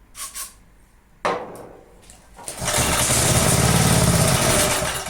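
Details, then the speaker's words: Briggs & Stratton engine on a roadside-found, long-stored Texas garden tiller (believed 1991) cranks, catches and settles into a steady even run; runs fine, needs steady fuel supply; oil not yet filled. "yeah this is running fine we just need a steady fuel supply then I'm sure it will run just fine"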